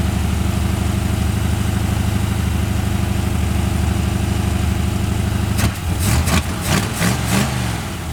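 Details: Long-sitting 1981 Ford Mustang 5.0 V8, truck mufflers, no cooling fan: smooth, even, quiet steady burble with no misses or ticks, handling clatter at the end; sounds really good, normal idle.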